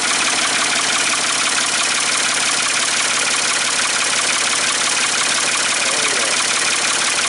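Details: Ford 550 TLB tractor-loader-backhoe, 3-cylinder diesel, running after reassembly and first start: even idle with a raspy open-exhaust roar at a steady beat, no knocks or stumbles; normal idle.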